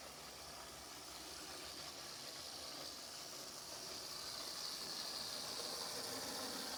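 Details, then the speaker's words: First-generation Athearn gear-drive model locomotive reassembled after repair, on its test run around the layout; a quiet, even whir with a light high hiss builds slowly and never stumbles, so the little motor runs smoothly. "Okay, the Athearn locomotive is put back together and ready to test run. Hopefully it makes it around the layout without any problems."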